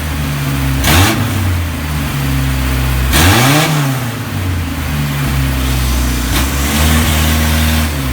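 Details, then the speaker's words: Isuzu Rodeo 4ZE1 four-cylinder after top-end rebuild (new head, old cam and rockers), compression not yet checked: even idle with two firm rev blips climbing and dropping cleanly; running on all four, slight misfire owner believes is timing. "she is running on all four cylinders and we have to check the compression but my god does it sound good"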